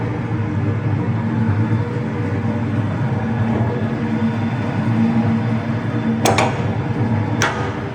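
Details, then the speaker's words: Concrete mixer with Russian 41 PSN gearboxes, 1.6 mm discs, drum turning about 35 rpm; steady even low rumble, gearboxes silent with no play, only a couple of light clicks, no knocking or grinding; normal running. "Reduktorlarimiz ovozlari yo'q, umuman qimirlamaydi, rosa chotga yanilyapti."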